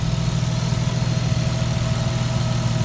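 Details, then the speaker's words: Nissan Stagea, reassembled and running, warm start, muffler's inner tube fallen out: a steady, even, deep and throaty low rumble at idle with no misses, knocks or ticks; normal idle. "still sounds awesome deep and throaty man i really like it up here so smooth everything's running so good so smooth"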